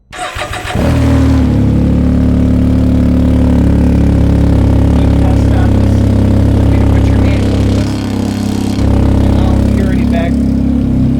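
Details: Can-Am Ryker started and idling with a harsh, deep, very loud blat. The exhaust pipe was pulled apart from the manifold when the rear wheel hit a pothole at a speed bump; the spring pins were bent and then straightened; very loud at the left ear.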